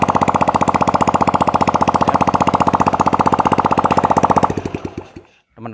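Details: Honda Supra Fit that smoked badly, after valve seal replacement and piston rings reassembled, run without exhaust: steady even idle with no misses and no smoke from the exhaust port, then clean shutoff.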